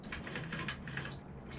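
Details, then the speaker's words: Honda Metropolitan scooter, push-button start with brake held and kill switch at run: faint labored starter hum as the engine barely turns over, with the relay clicking off; battery basically dead. "you can hear the engine trying and then you can kind of hear the relay giving up like clicking off because if there's not enough juice from the battery the relay shuts it all down when the engine barely turns over like that you know that the battery is basically dead"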